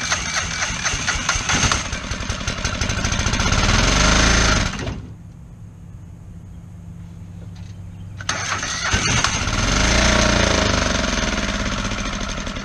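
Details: Kohler 725cc V-twin mud motor on a Pro Drive X Series boat. The cylinder 1 connecting rod was thrown in 2012 and a makeshift non-steel key is fitted. It chugs with a lumpy, uneven beat and dips, firing on only one cylinder.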